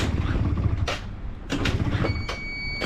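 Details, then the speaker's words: Yamaha Zuma scooter with badly gunked carburetor, cold: small two-stroke idles unevenly then dies when throttle is blipped; stalls on throttle, dirty carburetor suspected, needs priming and warm-up. "this is how you can tell the cardboard is dirty because it starts up and it idles for a little bit right and I give it a little bit of gas and it turns off"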